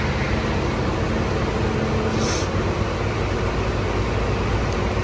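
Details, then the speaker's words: 1986 AMC Jeep Grand Wagoneer carbureted engine just after cold start: steady, even rumble, no misses or knocks, settling into a smooth raised warm-up fast idle expected to last four or five minutes before throttling down. "so now it's going to go through its warm up phase I think it's usually like I don't know four or five minutes and then it's going to Throttle Down"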